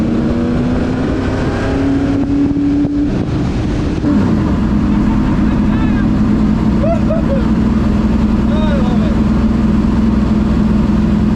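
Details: Ford Thunderbird NASCAR stock car (Hooters) on test drive after reinstalling the starter and re-gasketing/tightening the headers: loud even V8 roar at a steady low drone, dipping at a shift then pulling cleanly; normal running under load, plenty of power.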